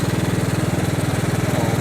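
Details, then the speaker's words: Mower while mowing: steady throbbing engine with rough gravelly growl from the deck; greasing didn't help, bearings trashed, owner fears cracking the spindle; worn deck spindle bearing. "guy i was just talking about how growly the bearings were too let's keep throwing grease at them i just stopped to put a little bit of grease in it but it ain't helping it is like trashed"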